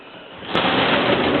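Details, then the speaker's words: Wardrobe sliding door in an apartment: a dry, gritty rolling rasp runs evenly as the door slides, though sliding itself is easy; the rollers sound rough, with bearings that are not bearing well. Noisy sliding door rollers. "Looks like we have some bearings that are not bearing well. You can hear that noise there."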